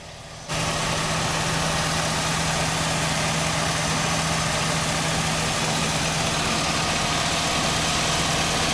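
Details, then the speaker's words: 1999-2007 Chevy Silverado GMT800 Vortec V8 after replacing the upstream O2 sensor and checking wiring on the bank that was dropping out: steady, even idle with no dips or misfire stumbles. "It's running really nice now that we got that O2 sensor swapped out. Wiring's good."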